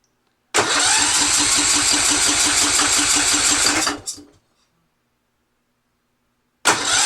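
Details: Yard-sale Husqvarna riding mower with Kohler engine and new aftermarket carburetor, old gas drained, on choke: fast even cranking with a choked, wet-sounding turnover that almost fires, then stops; cranking without starting.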